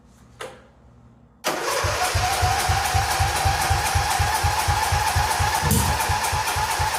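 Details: 1997 Mastercraft (MTD) 38" lawn tractor, 12.5hp Briggs & Stratton single, parked outside for years, run on choke from a hose fuel reservoir while low on oil: catches quickly, settles into steady even putter about two beats a second, no misses; healthy start and idle.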